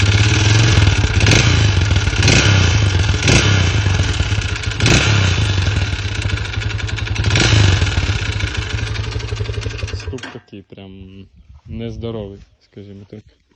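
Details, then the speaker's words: Lifan CityR 175 (162FMK engine), 10,800 km: after refuelling it stalled at about 90 while riding, restarted but began knocking; sharp heavy metallic knocks about four a second at idle, mechanic suspects head wear; piston knock. "Сам по собі їхав і просто став і почав стукать. Після того двигуна запустився, все заробили, але почав стукати."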